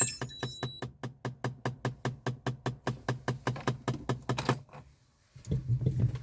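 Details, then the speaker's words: Lada Priora, ignition on with engine not running: sharp even ticks about four to five per second under the hood, then stop; source unclear, ticking with ignition on. "гора опциона вот смотрите есть приора и когда включаешь зажигание есть вот такой вот звук"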